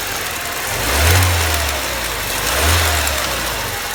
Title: BMW 318ti M42 1.8L engine ticking sound